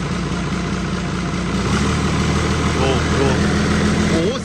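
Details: Hino J08C / H07C turbo diesel, over 200 hp, removed from a rice harvester: steady, even idle with a soft turbo whistle and no knocks or misses; normal diesel idle.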